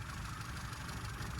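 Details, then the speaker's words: Standard 1100 engine with no vacuum advance unit: low, flat, lumpy idle. A strobe shows 41 degrees of advance at idle with no vacuum connected, so the ignition is over-advanced; the plan is to dial it back. "we've got engine's not running particularly well idle as you can hear that's pretty flat"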